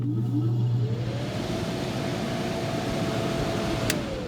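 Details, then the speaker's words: Early-1980s Airtemp air conditioner after fixing a squeaky fan bearing, unit cleaned of rust and dirt; steady airflow whoosh with soft hum, no squeak or rubbing, and a long smooth spin-down, likely just needed lubrication, fan running normally. "that's the fan and um it's pretty quiet now i really hope i don't have to open it again because it was a pain but as you can hear it spins down it spins down for a long time now"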